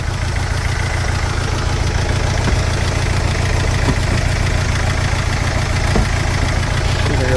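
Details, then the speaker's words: Mercedes Sprinter diesel van just after injector replacement and coding; low idle with uneven, lumpy beat stumbling every few turns, definitely missing; smooth-running correction for cylinder 2 out of permissible range, number two injector suspected; diesel misfire at idle. "oh that's me just like that oh but they still loving itself but she's definitely missing"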